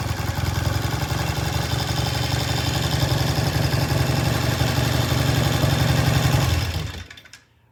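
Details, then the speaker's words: 1973 Triumph T100 twin after restoration: strong, even low thump through every throttle blip, no misses or knocks, idle left slightly high for now; healthy, pulls cleanly. "to that sounds good we're going to leave the idle just a little bit High it can be turned down later"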